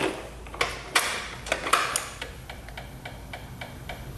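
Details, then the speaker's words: 2007 Honda Metropolitan scooter, fuel line to carburetor disconnected to test delivery: handling clicks then light steady fuel pump ticking about three per second, yet no fuel comes out; line to filter found kinked, starving fuel delivery. "Is it kinkedked? Oh, it does look like it's kinkedked. This line is kinkedked."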